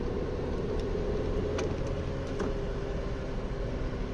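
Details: Studded winter tyres on a foreign car at highway speed on asphalt: a constant mid-pitched hum over steady road rumble that holds with speed; owner finds the noise uncomfortable and advises against this tyre model.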